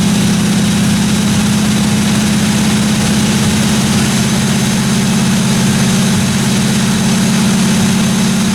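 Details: 1957 Chevy 210 project car during its first-run camshaft break-in of about 20 minutes: steady, even drone with a smooth low hum and no valve-train ticking or tapping; no weird noises, normal running.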